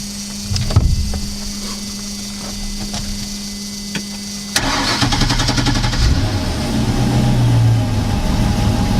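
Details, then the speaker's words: Super Air Nautique wakeboard boat with PCM inboard V8 on a water hose, testing a new XT alternator: short cranking whirr, then a steady even idle with no misses or knocks; charging about 20 at idle and dropping; healthy. "okay we're at this started at 58 our an idle at 20 charging in nineteen and going down"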